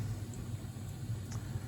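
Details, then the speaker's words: Old Udica (as transcribed) boiler relighting automatically after the aquastat cut out near 200 degrees on the tridicator gauge. Low, steady burner rumble with an even roar and no rattles or surging: still running like a champ. "old Udica still running like a champ."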